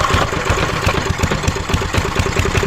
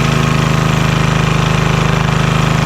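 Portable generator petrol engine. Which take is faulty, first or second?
first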